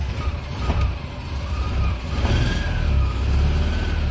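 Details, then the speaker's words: Small BMW Isetta microcar engine, oil just added, seemingly flooded at first start with a little backfire, then catches and revs freely on uneven throttle blips without knocks or rattles. "oh sounds like it's flooded let's try this little backfire there let me give it a little gas there it goes"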